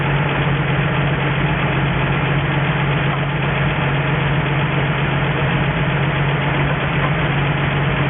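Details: 1963 Ford F350 truck, first start in about 20 years, running off an auxiliary nurse tank with a cherry bomb muffler: steady, even low rumble, no knocks, misses or surging; normal healthy idle, coolant needs topping up.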